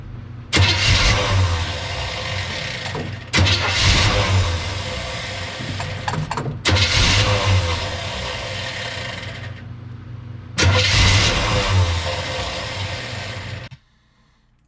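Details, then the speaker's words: Engine with relocated fuel filter: catches four times, runs a second or two and sags away each time; start-die repeatedly, no fuel in the filter bowl, runs if primed; finding attributes it to a worn ignition switch. "this start die start die start die went on for quite some time and uh relocating that fuel filter did not change anything"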